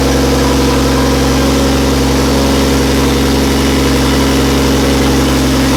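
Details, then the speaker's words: Toyota Landcruiser with Barra T swap, first start after fresh Nulon 5W40 oil and new filter, turbo oil feed confirmed: catches and settles into a steady, even low-drone idle with no knocks or ticks; normal idle. "so fired up well for the first time we're just going to fire it up again and check that the throttle pedal's working"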